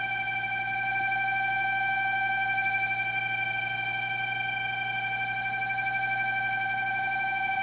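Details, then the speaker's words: LG microwave running, otherwise working perfectly: steady, high-pitched, piercing squeal over a low hum, unchanging throughout; cooling fan bearing squeal. "O micro-ondas tá funcionando perfeitamente, mas a cliente tá com medo de usar o micro-ondas com esse barulho."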